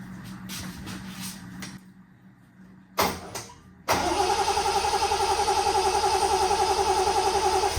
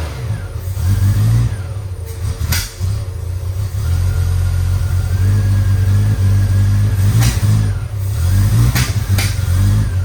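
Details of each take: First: 1972 Triumph TR6 that idled at 200–300 rpm and died on throttle, cranked after distributor and coil reassembly with fuel pump giving no priming resistance: steady cranking about three to four beats a second, never firing; no fuel. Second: 1972 Triumph TR6 that previously idled at 200–300 RPM and died: after setting timing to 2° BTDC, even deep engine note, clean blips, no knocking or clunking. Finding: normal running.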